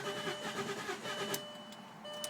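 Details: Passat B5 V6 after sitting a long time, with a new battery fitted after the old one died: starter turns the engine in quick even pulses but it never catches, tried in park and neutral with a little gas; crank-no-start, cause unknown.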